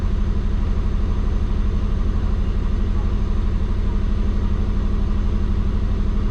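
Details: Warm, at operating temperature, the twin-turbo Subaru holds a steady, even idle at about 1400 rpm instead of about 600 and never drops back; the owner suspects the injectors can't go lower (pulse width around 0.8). High idle speed.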